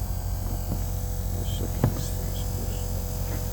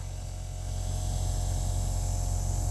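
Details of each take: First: Kenworth diesel truck unused for a long time, fuel lift pump priming: steady low electric hum with faint clicks; owner thinks it spins fast because the system lacks fuel and pressure must catch up; normal lift pump running. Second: Diesel truck unused for a long time, fuel lift pump: steady low electric hum running hard and constant, as if against a restriction; owner says it sounds strong and suspects something is packing up, unconfirmed.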